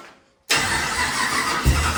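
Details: 1939 chopped Chevy hot rod with a 6.2 V8 swap, running while the fuel pump is suspected of not holding pressure: quiet crank, then it catches into a loud, deep, even idle with a couple of throttle blips. Normal idle.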